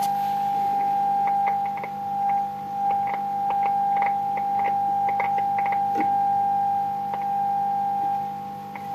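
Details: Vintage Radione WSH3 tube radio after repair (E438 and B409 tubes), tuned and tested with a 0.3 V HF signal input: a clean, steady mid-pitched tone with no warble or hum and a few light clicks. The set reproduces the signal properly.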